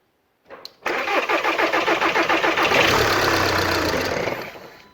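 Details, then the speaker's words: VW 2.0 TDI after timing belt job, engine resting on a jack without mounts, fuel system quickly refitted: brief cranking catches, runs a moment, then dies; fuel system not bled enough, air still in fuel, to be re-bled. "and the answer is no i haven't bled the system enough but at least it started"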